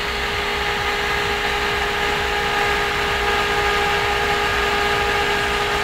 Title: rendut thermolab baram & fan NMB - High Speed @ 3600Rpm q9550 @3.4 with loud noise